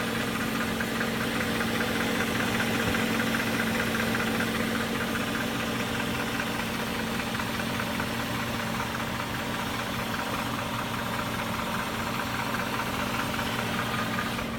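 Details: 2001 BMW E39 540i M62TUB44 V8 idling with VANOS rattle plus a hard, diesel-like clack about two or three times a second; undiagnosed engine knock, cause unknown.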